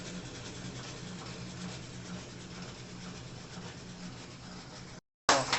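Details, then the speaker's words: Consul CW608 washing machine on spin: steady scraping rumble over a low hum, then a sudden loud clunk; a part at the bottom of the tub has come out of place, proper fix needs disassembling the mechanism. "e é isso galera o barulho aqui é porque tem uma peça no fundo do tanque que ela tipo que sai do lugar e aí ela fica fazendo esse barulho aí entendeu"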